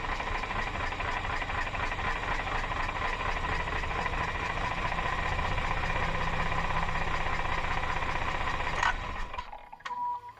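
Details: Mazda RX-8 rotary at idle: rough, fast rattling tick over the hum; owner unsure whether a vacuum leak or a broken apex seal.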